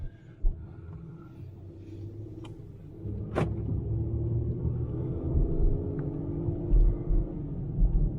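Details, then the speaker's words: 2013 Ford Edge Limited AWD test drive after rear axle replacement: steady road rumble, previous rear growling noise gone. "oh yeah no more noise no more growling stuff back there"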